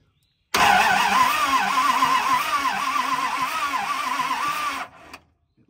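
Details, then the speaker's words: 1970 Dodge D300 wrecker after repairing broken starter solenoid wire, hot battery connected; starter spins engine over strongly and evenly about three and a half pulses a second for four seconds; normal starter cranking. "if all wiring and stuff is good from this wire to the solenoid down to the starter when I hit this that thing should spin over"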